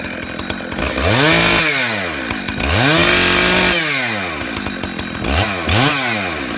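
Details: Husqvarna 266 XP chainsaw that was bogging, after cleaning the carburetor and screen and reattaching the throttle rod: revs cleanly and returns to idle repeatedly without hesitation; probably still needs a filter.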